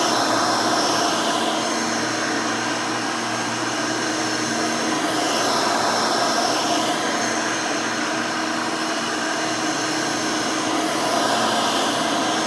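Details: Rebuilt Hoover Elite 600 upright vacuum, built from parts of several Elites, with a new 7 amp motor and 20-blade fan replacing the original 6 amp: a smooth, steady high motor hum with an even tone and no rattles or scraping. A healthy, fairly quiet motor.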